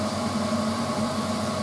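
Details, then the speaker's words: Frigidaire FSD28 compact spin dryer (centrifuge) spinning a laundry load at about 2,800 RPM; even high-speed whir with constant pitch and rushing water flung into the outer casing, no knocks or scraping, normal full-speed spin. "And that's now rotating at 2,000 RPM, 2,800 RPM. There you go."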